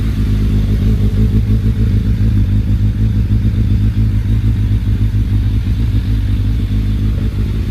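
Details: Suzuki Bandit 1200S with SACS cooling and a new battery, warming up before a road ride: a deep, steady four-cylinder burble with even firing and no knocks or misses, a normal healthy warm-up idle.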